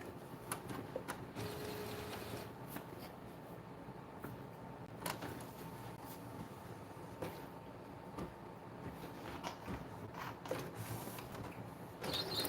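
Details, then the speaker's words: Epson EcoTank ET-8550 converted for DTF printing, during a regular head cleaning cycle: thin steady high whistle over soft clicks and whirring; abnormal noise, cause unknown. "Yeah, the printer shouldn't make that noise. That really high whistling noise, the printer shouldn't be making that."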